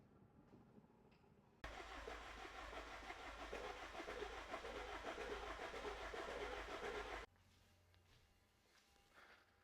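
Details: BMW E61 with N47 diesel, first start after timing chain kit replacement and fuel system bleeding: catches at once and runs a steady, even clatter for about five seconds, with no rattle or knock.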